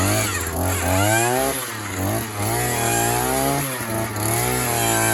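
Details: Harbor Freight gas earth auger two-stroke, just assembled, primed, started on choke: catches and revs in uneven surges, pitch following throttle, crisp and clean; running fine.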